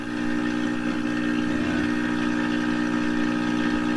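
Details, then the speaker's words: 1928 RCA Victor Model 28V radio on a large homemade loop antenna: steady low whistle with overtones at even pitch over the program, the same interference returning; source unconfirmed, impedance mismatch suspected. "Well, see, we're back to the same interference."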